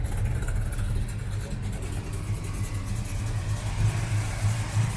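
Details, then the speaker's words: 1973 Dodge Charger V8, fuel pump at rear, started without touching the accelerator: starts cleanly, deep even burble swelling smoothly when revved and settling back, no knocks or misses; healthy normal running. "Elle a démarré impeccable. Et elle a ce joli son bien à un contour, faut le signaler aussi. Elle a un bruit fantastique."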